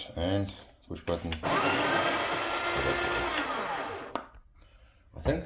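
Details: Breville Barista Express BES870 grinder after replacing the faulty micro switch: steady motor whir with a grinding rasp for a few seconds after the button press, stopping cleanly; grinder working properly.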